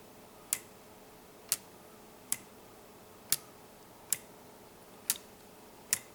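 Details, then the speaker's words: Homemade weight-driven pendulum clock under construction: crisp even ticks about once a second in a quiet room, the escapement pushing the pendulum; healthy normal beat. "When you hear that, that ticking sound, that tick tick tick tick. That's what this is. That's what that is. It's uh just the skatement pressing on the sides of the pendulum to make it rock."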